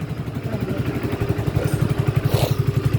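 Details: Hero HF Deluxe BS6 motorcycle, about 7,000 km, idling with a steady, even low thump and no ticking or rattle after timing chain replacement fixed its timing chain noise.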